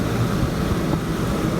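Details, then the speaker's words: Dometic Brisk II 15,000 BTU rooftop RV air conditioner on a fifth wheel, newly installed to replace a failed Brisk unit, test-run before tightening down in 100-degree weather: smooth, even fan and compressor hum, blowing cold; normal running. "Alright, it's blowing. Sounds good."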